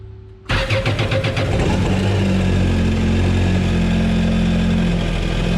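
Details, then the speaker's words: Yamaha supercharged jet ski after supercharger clutch replacement, new plugs, oil and filter, battery recharged: quick crank, catches at once, smooth even run with supercharger making boost and no knocks; normal start and idle. "all right so everything sounds as it should sounds like the supercharger was making some boost no oil leaks so we're good to go next is water tests"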